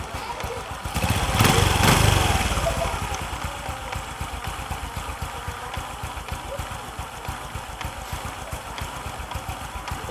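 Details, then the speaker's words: Honda Future (Fu) motorcycle with smoking problem: idling about four beats a second, then loud rough groaning swell from the clutch that rises and fades; clutch groans and clunks every few turns, stalling the engine. "cái nồi á nó bị thứ nhất là nó ọ thứ hai là nó chạy hai ba vòng nó làm cái sựng cái hai ba vòng nó làm cái cụp cái vậy đó tắt máy luôn vậy đó"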